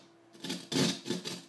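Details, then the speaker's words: Symmetrex headphone amp, output one's volume potentiometer being turned: bursts of harsh crackling static while adjusting, works fine once set; dirty, scratchy pot. "you can hear that scratchiness it still works if you once you set it to whatever volume you want to set it at it works great it's just that when adjusting it you hear that scratchiness that feedback whatever it is"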